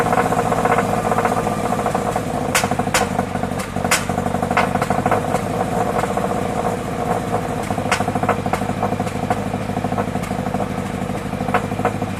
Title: BRZ misfire